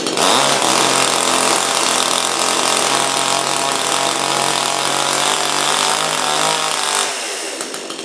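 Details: Brand-new Supmix 6250/6251 two-stroke chainsaw that at first would not start or run. It holds a steady, high, buzzing run for about seven seconds, then drops off smoothly. Normal running.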